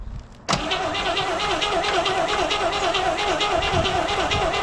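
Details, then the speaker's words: 1970 El Camino 396 4-speed that sat 38 years, cylinders squirted with oil, cranks at a steady starter beat but never fires. No spark because the coil was losing power at a loose terminal. "all right well let's just see if we got spark I was just kind of hoping it would just go"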